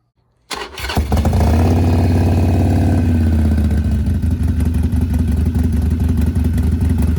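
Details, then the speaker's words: 2007 Harley-Davidson Sportster 1200 Custom V-twin just refilled with synthetic oil after an oil and filter, primary oil and brake fluid change. Starter whirs briefly, then it catches and settles into a steady loping idle with no knocks; normal start and idle. "But you didn't get to see me fill it up, but I got her filled up there with some synthetic oil, and I'm gonna fire it up."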